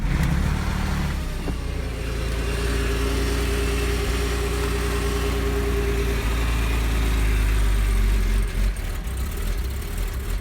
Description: This is my 2002 boxster .. the first min i start the car theres some weird knocking noises and bad idling some white smoke coming and shitty smell ... after 2 mins maybe the car back to normal ... the car was sitting for less than a year maybe